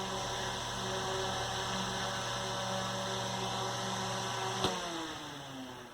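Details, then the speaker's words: 1960s Eskimo desk fan model 081005, 50+ years old, final test after correcting harmonic bounce: steady hum and blade whir, click, then smooth evenly falling coast-down; motor in good shape. "I just love that spin down. The motor's in pretty good shape."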